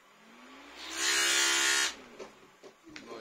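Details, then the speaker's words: Old fan in an inflatable costume bear, tested on a battery before replacement: motor hum climbs as it spins up, then a harsh rough rushing hiss before cutting off; abnormal fan noise. "так сначала включу старый для сравнения потому что что-то в нём не так"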